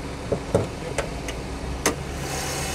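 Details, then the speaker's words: Auction car (cleaned engine bay, coolant or water on battery, new thermostat) at idle: quiet, steady small-engine idle with handling clicks, no misses; runs pretty well. "i mean honestly it runs pretty well"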